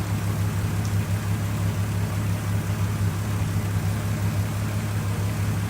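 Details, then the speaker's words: 1978 VW Scirocco with swapped VR6 24v engine idling after fixing a buzzing-relay ground fault that prevented starting; smooth, even low idle hum holding constant pitch, no stumbles or knocks; healthy idle. "But doesn't that sound good? Doesn't that sound good? Nice and smooth."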